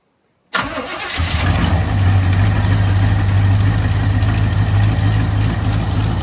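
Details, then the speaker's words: 1985 Chevy C20, sitting over 10 years, first start using choke: catches after short crank and settles into steady, even low idle rumble, no misses or knocks; healthy, no smoke. "Sounds good. Oh yeah. No smoke. Well, no, that's just exhaust. It sounds like it's camped."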